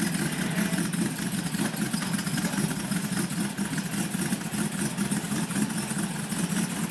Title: G55 Kleemann Install - bad Idle sound - Vaccum line issues